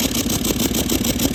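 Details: Toyota 200 series with 1VD diesel, oil changed every 5000 km with full synthetic, running with a thin steady high-pitched siren over the engine note and smoke from the exhaust while driving: failed turbocharger.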